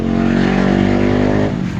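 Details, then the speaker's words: Centrix PF20 stand fan after front bushing replacement (previously slow to start and humming), speed 1: steady even motor hum at constant low pitch, no grinding or labouring; runs smoothly with full strength restored. "So mabilis na at balik na sa dati yung kanyang lakas."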